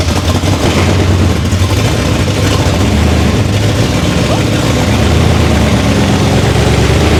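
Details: First start of a race-car V8 after fuel pressure and leak checks: deep, steady idle with even lumpy beat, no misses, knocks or hunting, no limp mode; healthy normal idle.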